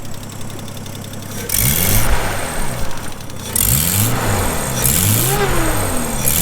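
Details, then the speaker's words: Nissan R31 drift car with new turbo hot side, revving: rising, wavering turbo whistle following revs with a raspy edge; turbo sounds unhappy, plus an exhaust leak from a wastegate flange gasket. "So you can still hear that turbo is certainly not very happy, and I've developed a bit of an exhaust leak from one of the wastegate flanges, which is understandable considering the gaskets that I used when we did"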